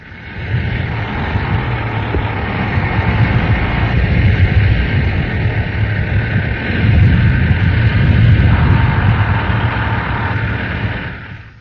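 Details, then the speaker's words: Air-cooled Volkswagen engine running: deep, loud drone with a fast, uneven ticking clatter at about three per second; cam noise from the camshaft. "Squealing distributor shaft. Cam noise."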